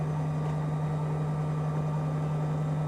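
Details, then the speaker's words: Maytag Neptune front-loader washer after its circuit board was repaired and the door lock wax motor was replaced: steady, even hum of a longer, much faster high spin with no knocking or scraping. Towel comes out barely damp; machine fixed. "much longer much faster love it still a high spin that's great this machine is fixed"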